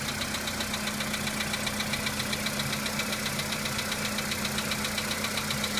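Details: VW Polo Sedan engine at cold-start idle: light, even ticking knock near two per second over the engine; knock fades as the engine warms up, cause not identified.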